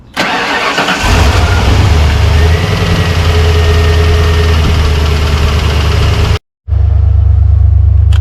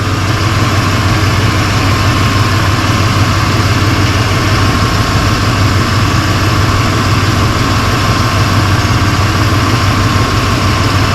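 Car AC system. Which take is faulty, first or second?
first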